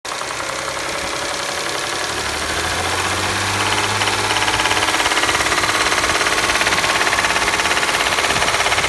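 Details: 2011 Audi S4 hydrolocked through the high-pressure fuel pump due to a faulty fuel pump control module: fast, even metallic knock/rattle from 1500 rpm up, driving or parked, louder with revs.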